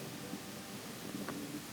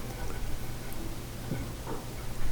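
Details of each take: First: Kobe range hood, the left of its two fans, which is not the noisy one: a steady, smooth rush of air with no grinding or rattle, judged okay. The other fan got noisy after roof water dripped in, with bearings suspected. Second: Kobe vent hood: the right fan has a low hum with rough, grindy ticking and spins poorly from too much friction. Its bearing is likely rusted after rainwater dripped in. The left fan sounds smooth.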